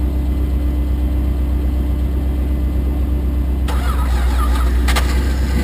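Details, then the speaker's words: Chrysler Valiant VJ, sat 25 years, after a good earth and fuel line on to fill the carb bowl: engine catches and settles into a low, even idle, no misfire; runs fine, though it won't fire off the key. "hey there you go she's a runner hey beautiful all i needed was a good ground and a good go"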